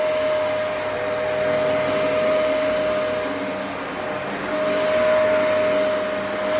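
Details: Upright vacuum after full service, brush bar spinning, sole plate and U-bend refitted, tested on thick carpet: steady even motor roar with constant high tone, no surging or rattling; works fine now.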